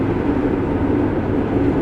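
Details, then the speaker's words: Combine harvesting heavy corn on bottom ground: dense, steady, heavy churning roar like a ton of bricks going through, no rhythmic knock or squeal; the operator knows it isn't damage, normal threshing under heavy load. "it sounds like a ton of bricks just going through there just beating my combine death I know it's not but man that's what it sounds"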